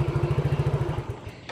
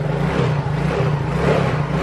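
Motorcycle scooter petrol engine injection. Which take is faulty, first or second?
first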